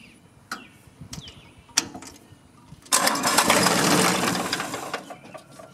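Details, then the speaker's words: John Deere compact diesel tractor right after a fuel filter change: a few clicks, then a couple of seconds of cranking that fades without catching. Air in the fuel line; the fix is bleeding it at the bleeder screw. "oh we got a little air in the line so i'm gonna have to bleed it"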